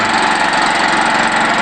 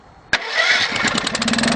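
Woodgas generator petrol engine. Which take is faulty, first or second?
first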